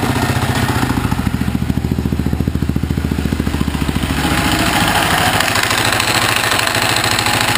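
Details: Husaberg FE650e single-cylinder at idle: uneven metallic clatter on each firing pulse from a loose crankshaft gear, fixed by tightening it with Loctite, after which it runs smooth.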